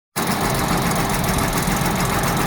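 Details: 1985 Jaguar XJ6 at idle, tappet stake-down not done: faint fast ticking buried in the even rumble; owner suspects tappets but they don't appear to hit the cam, source unknown; engine ticking at idle.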